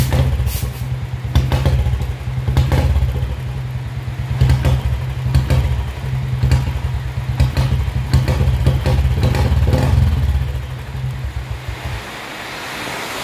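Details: Royal Enfield Bullet BS4 single at idle after fitting a new BS4 CDI: heavy thump with uneven beats that stumble and drop out; misfire persists, cause not found.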